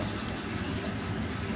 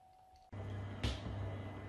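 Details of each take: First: Worcester Greenstar 30Si Compact boiler firing in hot water mode: quiet, irregular bubbling gurgle like a washing machine. Water is backing up in a blocked condensate trap. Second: Worcester Greenstar 30SI Compact boiler after condensate trap removal and refit, running on hot water and heating: soft whoosh on ignition, then low steady burner and fan hum, no rattles or gurgles; normal firing, quieter than before.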